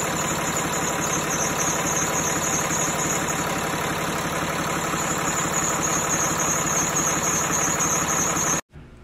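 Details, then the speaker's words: Mercedes engine at idle with a noise from the front: steady high-pitched squeal with fast chatter on top. It goes away when the belt is sprayed with water, ruling out bearing and tensioner. Worn serpentine belt, to be replaced. "So hindi siya bearing, hindi siya tensioner body. So ang sira niya talaga ay belt kasi habang sprayan mo siya nawawala yung ingay ng ating makina sa harapan."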